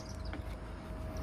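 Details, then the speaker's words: OutEquip Summit 2 12-volt 10,000 BTU rooftop air conditioner, newly installed in 2000 Chevy Express 3500 van, at full speed on coldest setting putting out 51°F air: soft even low rumble, faint steady tone, quiet enough to talk normally; normal running. "As you can hear, we're talking normal level, and it's so quiet you can hear me perfectly."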